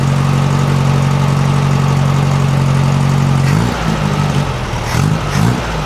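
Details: 1956 VW Beetle air-cooled flat-four with Solex carburetor, after readjusting valves to 0.006in feeler gauge: even busy sewing-machine idle, picks up cleanly on throttle, much quieter with no valve rattle from either side.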